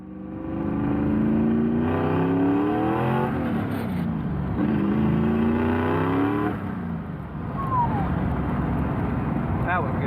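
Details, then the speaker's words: Holley carburetor modified for blow-through, jetting attempt eight with 70 and 74 jets: revs rise and fall twice, clean low down but stumbling near the top, still rich misfiring with AFR into the tens. "so that was attempt number eight with 70s and 74 s and as you heard it was good still misfiring on the top end still rich"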